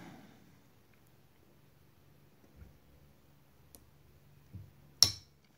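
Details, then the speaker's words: Toyota U250E transmission SL3 shift solenoid from a 2009 Pontiac Vibe, new replacement bench-tested on a 9-volt battery: near silence then one sharp crisp click as it moves; good solenoid, old one gave no click. "You hear the audible click. And you can see the solenoid move."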